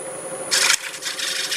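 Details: Bowl-from-a-board (Jarran and bass wood) on the lathe, thin wall supported with melamine, glue spot cleaned up with a freshly resharpened negative rake scraper: even, hissy scraping over a low lathe hum, running decently after earlier squealing.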